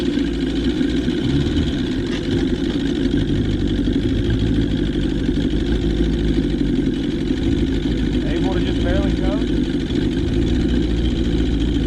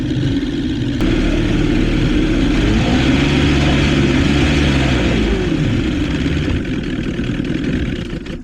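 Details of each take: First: 1977 Johnson 115 outboard on the water after new CDI, coil packs, reed valves, fuel lines and cleaned carbs holds a low, even burble without stumbles or misses; idling properly, the reed valves were not the cause. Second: 1977 Johnson 115 outboard on the water gives an uneven, surging drone that wavers and stumbles; ignition misfire, owner suspects several coil packs bad (only one replaced earlier) and plans new CDI and four new coils.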